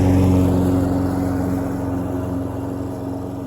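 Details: Troy-Bilt self-propelled mower after carburetor needle seat repair, cutting grass: steady even drone holding pitch, no bogging or surging; healthy engine under load.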